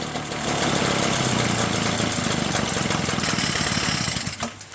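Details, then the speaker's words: Echo PB-403T two-stroke backpack leaf blower, curb find, after carburetor cleaning and magneto reinstall with kill wire disconnected: first start, a high buzzy drone holding fairly steady about four seconds then cutting out; normal running. "How about it? Got it started."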